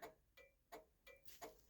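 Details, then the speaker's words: 1966 Chrysler New Yorker turn signal flasher ticking steadily about three clicks per second with the lever returned to off; a stray coil spring in the steering column was found shorting the signal switch. Turn signal flasher stays on. "now I'll just move that back up to off there it is and she's still going"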